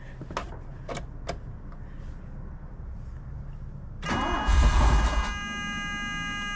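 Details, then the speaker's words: 1983 DeLorean with a fuel pump that had power but was not pumping, fuel system just flushed: a few clicks, then a short labored crank that nearly catches but fails to fire, possibly flooded; hard starting. "it sounds like the DeLorean when it was inside the barn and like the third movie trying to start it up on moonshine"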